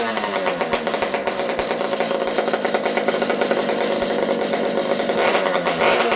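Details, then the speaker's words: Partner P42 two-stroke chainsaw with a newly built exhaust pipe, at fast idle and revving: a fast, crackly, hard-edged buzz. Owner suspects the carb is slightly lean or the old saw has an air leak, and adjusts the low jet. "I suspect that this carb is a little on the lean side, but an old saw like this thing might have an air leak."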